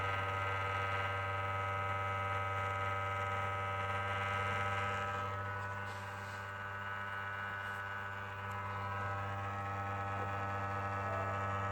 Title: Why is my ps4 making this noise?